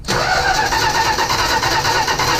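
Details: 1965 Plymouth Barracuda sat about 3 years, battery charged: starter spins the engine steadily with no catch or firing; cranks but won't start, key switch suspected.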